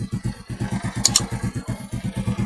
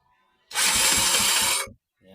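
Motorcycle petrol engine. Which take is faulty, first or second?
second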